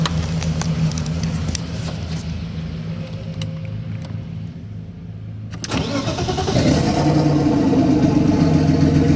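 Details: BMW E36 320i turbo drift car with 182,000 on the clock, after refuelling: the starter churns, the engine catches around six seconds and settles into a steady, even idle, described as running like clockwork; a normal start.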